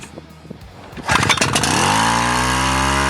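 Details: Wick 280 fire pump engine pull-started with the choke opened after first ignition: a few cord-pull rasps, then it fires and settles into a clean, steady, even run with no misses or knocks, a healthy start.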